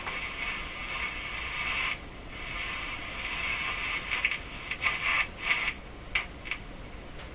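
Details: Hallicrafters S-40A shortwave receiver: rough hiss with uneven crackling bursts while the dial is turned very gently without shaking the set; owner suspects oscillation rather than tuning-capacitor plate rubbing, which he could not find.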